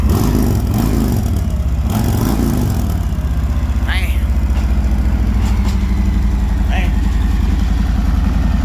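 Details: Harley-Davidson delivered by a dealer, started by the driver on the trailer and backed off; the check engine light was on afterwards. Deep, lumpy V-twin idle with an even loping beat and steady low rumble, no knocks or rattles. Normal idle.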